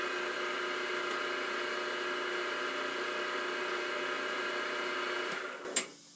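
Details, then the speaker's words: Grizzly G0755 mill/drill, new, spindle forward in first gear high range; steady, even whir with a faint bearing hum, no knocks or grinding; bearings okay; normal spindle running. "so i'm i'm not unhappy with the bearings running i can kind of hear them"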